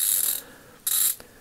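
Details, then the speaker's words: Craftsman CMMT82111 180-tooth 3/8" drive ratchet, reassembled after total teardown with thread locker: two short bursts of fine, fast, crisp high-pitched clicking as handle swings; ratchet works normally, with fairly tight back drag. "Okay, let's see if it's ratcheting. Switch it back and forth. It's ratcheting. You can hear how it sounds."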